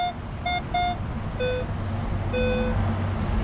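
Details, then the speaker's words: Minelab Equinox 800 metal detector at an older school with iron everywhere: short beeps jump between higher and lower tones and never lock into one steady high tone. The owner thought it might be a coin, but the target stays inconsistent and unclear. "Well, I thought that would have been a coin possibly, but I'm gonna keep working it. If I can just get it to high tone just one time, then I would know."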